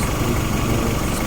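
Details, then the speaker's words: Honda Civic H22 engine idling after refitting KS Tuned oil pan, backside still leaking oil: steady, even low idle with no knock or tick; the earlier noise is gone. "But it don't make that noise no more that it used to make. So that's a good sign."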